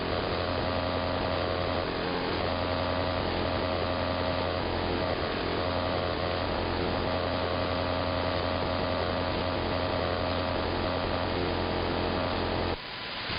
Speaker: I will say this much. It does not seem to be any sort of RF device causing this. I mean, it's up and down the entire AM band. I believe it's something electromechanical.